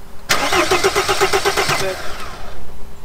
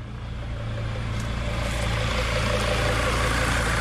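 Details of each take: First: T1N Mercedes Sprinter diesel not starting: starter cranks in even beats, about five a second, never firing; no diesel spraying from injectors because they get no electrical power, so no fuel reaches cylinders. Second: T1N Mercedes Sprinter diesel after repair, critters in the intake pipe thought cleared by blowback: steady even diesel clatter with no misses or knocks; runs strong, normal idle.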